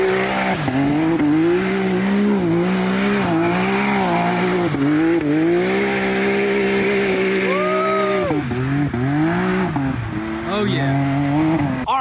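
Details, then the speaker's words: Rebuilt 2019 Can-Am Maverick X3 Turbo three-cylinder with new Yoshimura exhaust but stock catalytic converter, revved while driving: turbo whistle and a few faint pops off throttle, barely louder than stock; runs clean. "so it does sound a little bit better and it pops a little bit which I really like but I expected a lot more from this Yoshimura exhaust I mean it was $900 and it barely changed the sound of it"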